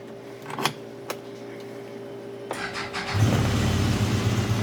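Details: CFMOTO after fixing a no-throttle fault by greasing the connector with dielectric grease to keep water out: a few clicks, catches at about three seconds and settles into a steady strong run; normal start and rev.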